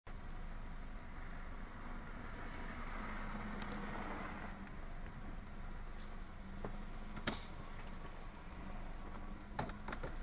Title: 98 Toyota Camry rough idle